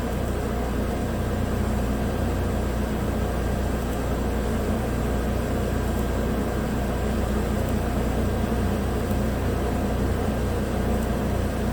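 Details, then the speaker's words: 2017 Chevrolet Equinox 2.4 AWD with used replacement engine (130,000 km) after the original failed from a frozen, plugged PCV system that blew the rear main seal; a brief P0300 misfire on cylinders 3/4 cleared, now idling smoothly, running clean, no warning lights, codes cleared. "well there it is back together and running again no warning lights on cleared the codes"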